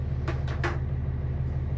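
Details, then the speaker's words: Nordhavn 55 boat diesel engine idling after a DIY muffler repair with ceramic blanket and tape: a deep, even rumble with no puffing or rattle, apart from a few handling knocks nearby. Normal idle. "Is everything normal after we started the engine? Yeah. We're going to let it sit here for a couple of minutes."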